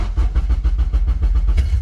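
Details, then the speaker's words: Honda Civic K-swap engine on a Kpro, started right after saving the calibration: heavy low thumps about six a second, chuffing unevenly as it tries to catch; it barely fires, runs like garbage and stumbles from running far too rich. "Oh. It kind of wants to fire on. No, don't die. Come on, baby. Oh gosh. She kind of fires on, but she runs like garbage."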